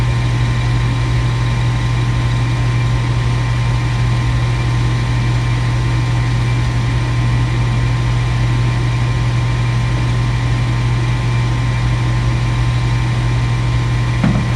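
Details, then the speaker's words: Furnace inducer motor, pressure switch stuck-open code 3: steady low hum running continuously without cycling; now running at higher rpm and smoother than the day before, with a crack suspected as the earlier problem. "would cause that motor to continuously run i would tell you that motor is running totally different than yesterday"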